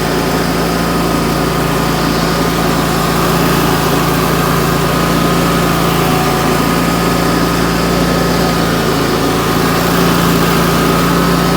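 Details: Wright Stander X stand-on mower, just finished restoration/revival and rewired with a substitute ignition switch, running outdoors: smooth low drone at constant speed, no knocks or misses; normal running.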